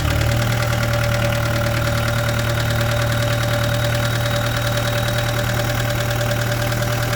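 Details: 2013 Vermeer SC602 stump grinder, rebuilt Cat 2.2 L 3024C diesel with rebuilt injection pump, 1,040 hours on meter, under an hour since rebuild: steady low rumble, even clatter around three beats a second, no misses; clean healthy idle.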